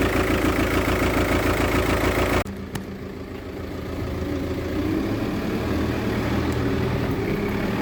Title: Motorgeräusche bei defektem Injektor, es handelt sich um einen VW Touran 2.0tdi